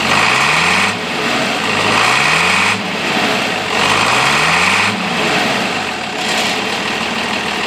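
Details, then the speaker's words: International 856 diesel tractor, started cold with the muffler still fitted: idle with regular clatter and slow periodic swells, otherwise even; sounds pretty good and healthy, now cranking better after cylinder rough spots were addressed. "this tractor sounds pretty good even though it's got a muffler on it"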